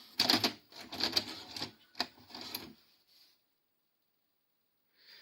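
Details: Grandin 2-head multi-standard VCR, model 97, made in the UK: a quick burst of clacking mechanism clicks, then a stop and a faint whir as the cassette is rejected. The mechanism acts erratically; a dirty mode switch is suspected.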